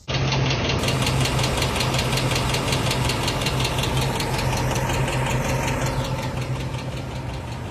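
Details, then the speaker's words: 2007 Ford F-150 5.4L 3V Triton V8 idling with a sharp, regular tick two to three times a second, recorded before repair; the diagnosed cause is a worn roller rocker arm, replaced without removing the camshaft. "all right guys today we're working on this 2007 F-150 it's got a pretty bad tick when it runs"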